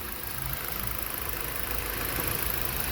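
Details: Car after new PCM, misfire traced to a wrong replacement ignition coil and fixed: soft, even idle hum, no stumble or skipped beats; engine now healthy.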